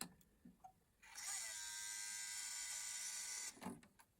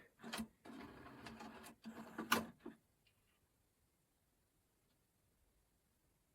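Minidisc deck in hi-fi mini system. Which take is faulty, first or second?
first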